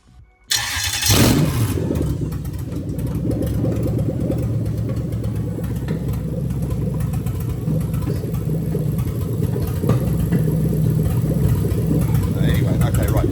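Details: Lexus LS430 3UZ-FE VVT-i (2000-2003) cranks briefly, catches cleanly and settles into a steady, even idle with no misses or knocks during a new engine harness starter-circuit test; healthy start.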